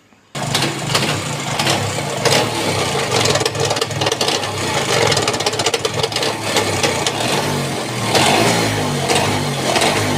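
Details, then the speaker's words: Bajaj Chetak scooter that sat for a long time, engine work done: on starting it idles with a loose, irregular metallic rattle over the exhaust beat, gone when riding or with clutch engaged; clutch rattle at idle traced to the clutch housing. "हम scooter जब आप शुरू करते हैं car शोर मचाती है। कर रहा है। खड़खड़ खड़खड़ाहट।"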